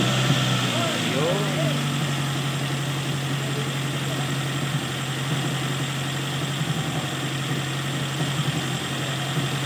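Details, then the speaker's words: Toyota carbureted engine after fixing a carburetor vacuum leak by reconnecting hoses: steady, even low idle with no throttle, no hissing or stumbling; running smoothly, problem solved. "ayan mga tropa problem solve so vacuum leak lang sa karburador"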